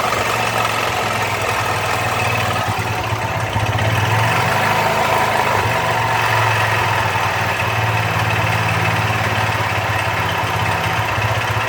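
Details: Honda Fan 125 motorcycle at idle: a small single with an uneven, rattly ticking mixed into its steady beat, an odd noise from inside the engine whose cause is not pinned down.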